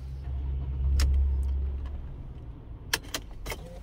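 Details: 2009 European Mercedes W212 after the faulty ignition lock (EIS/EZS, worn contact group) was replaced with a lower-mileage unit: engine catches and settles into a smooth low rumble, then a few light clicks. Clean, normal engine start.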